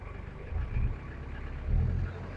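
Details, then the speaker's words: 2003 Daihatsu Rocky manual 4WD diesel: deep diesel rumble swells twice with throttle blips and settles back smoothly, no knock or rattle; engine still runs very smoothly. "halus banget masih. Ya ciri khas mobil diesel ya. Tapi halus banget nih masih."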